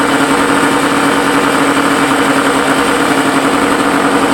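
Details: Suzuki SS20 Cervo at idle: fast, steady idle with sharp raspy puffing and hiss on top from an exhaust leak.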